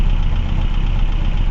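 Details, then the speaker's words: 1979 Renault 17 TS, 1647 cc Cléon 98 hp petrol with automatic choke, cold start with some throttle: rough uneven idle on three cylinders with rocker arm clatter, before valve clearance adjustment. "Hört ihr? Die Kipphebel klappern, und seht mal, wie er sich dreht ..."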